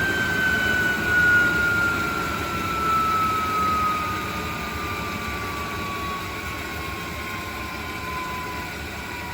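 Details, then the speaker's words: 3-phase 7.5 HP (5.5 kW) regenerative ring blower used as a CNC table vacuum pump, on a 10 HP VFD set to coast to stop: high roar with a slowly falling whistle as it coasts, faint rough edge underneath; owner says the bearings don't sound the best. "hear the bearings in there they don't sound the best but I'm going to ignore that"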